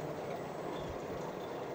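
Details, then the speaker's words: Electric UTV/SXS conversion with its V belt treated with chain lube (it used to squeak when dry from sand dunes; belt dressing didn't fix it): only tyre hiss on pavement and slight plastic/suspension creak, no drive squeak or whine, so the belt runs quiet. "Chain lube on your V belt, completely silent. Let's hop on in and I'll show you what I mean."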